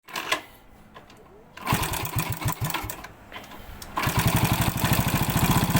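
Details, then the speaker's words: Yamaha Vega ZR running: fast, light metallic rattle over the firing beat, busier with revs, from a slack cam chain, possibly from a worn chain guide or tensioner. "Eh eh Vega ZR ini mengalami bunyi gemericik di sini ya. Bunyi gemericik ini disebabkan karena kamrat yang sudah kendor ya."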